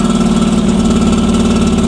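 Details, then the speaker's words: Northstar 10000 10 kW auction generator: engine idles with a loping, slightly uneven, hunting pulse rather than a clean hum; dirty carburetor. "Need to get it running long enough so we can test out the power. Carburetor's dirty."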